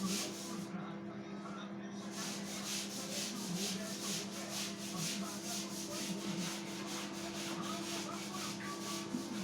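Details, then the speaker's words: LG microwave after repair, one-minute test heating cold water in a bowl: steady low hum with soft even pulsing from the turntable and fan, no buzzing or arcing, working normally. "हे बघा वाटी वगैरे फिरते मध्ये आता हा timing आता एक मिनिटाचा टायमिंग दिलेला होता 28 सेकंद झाले"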